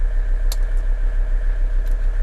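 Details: 1983 Mercedes 300TD W123 diesel warming up after a short drive, heater valve replaced: steady, even clatter and firm low throb at idle; normal diesel injection knock.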